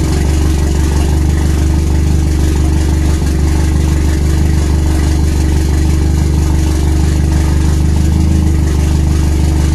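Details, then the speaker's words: RWD turbo Nissan Micra K10, first start after fixing a leaking injector seal: deep, heavy, uneven, tractor-like idle that never settles smoothly; rough running, cause unknown. "I forgot I didn't have a Lambo so just put a Lambo in it this thing sounds like a tractor"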